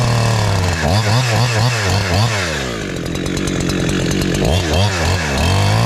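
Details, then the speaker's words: Husqvarna 372 clone chainsaw with Hexa chain, carb newly tuned in the wood and set a little safe, cutting an old log: screams at high revs in the cut, then four-strokes unloaded. Crisp throttle response, slightly rich, healthy tune. "So it's high revving. It's revs a little higher, but when I come out of the cut, it is four stroking because I'm t I tuned it in the wood."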